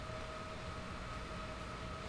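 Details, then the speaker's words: 8x Gigabyte RX580 mining rig at power-on: fans run flat out, loud steady rushing air with constant whirring tone; owner expects this GPU won't be seen by the mining OS, cause unknown. "right here the fans spin up so much like that it's so loud I really what causes it"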